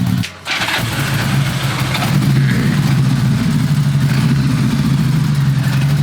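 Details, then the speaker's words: 1977 Honda Goldwing GL1000 after new spark plugs and fuel filter: catches after a long crank, then settles into a smooth, even low hum on choke; clean, steady cold idle. "It's on the choke right now, but it sounds good. Oh, it's just idling. It's just idling, dude."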